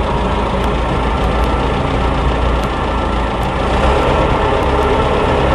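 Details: Combine diesel, cold, battery dead after five days and jump-started from an F-150, clutch depressed, on starting fluid: heavy loud clatter with uneven firing near three beats a second, catching hard.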